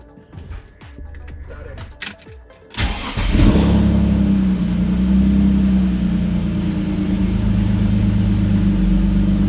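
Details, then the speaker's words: BMW E46 with M52TU engine (323i/328i), cold start after a throttle cable adjustment; it catches quickly and holds a steady, even idle with no surging, and the RPM is not rising, so idle is normal. "Basically, we're just looking for a smooth idle. Of course, the car's gonna be cold. So it's not gonna be like a perfect 700 RPM idle, but we're just looking for no surging, basically."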